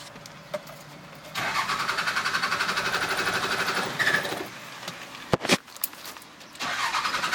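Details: Cummins 12V diesel being started after running out of fuel: long steady cranking pulses about four per second that don't catch, then cranking again; hard start after running dry.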